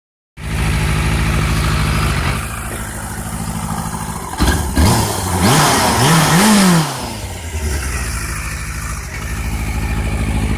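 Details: 2008 Yamaha FZ6, four-cylinder motorcycle: the engine idles with an uneven, lumpy beat, is briefly blipped, then settles back unsteadily. Rough idle.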